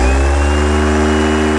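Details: New Bosch 24-volt starter from a stationary engine, returned by a customer, bench-tested: spins to a constant, even whir at about 20.2 volts with no click or chatter; normal starter operation.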